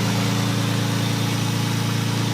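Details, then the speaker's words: Lexus SC300 5-speed manual with catback exhaust, lukewarm start just off the trailer: steady idle with a fast, even puffing tick on the exhaust note; exhaust leak. "It does have some sort of exhaust on here, catback exhaust. Sounds like crap because there's an exhaust leak."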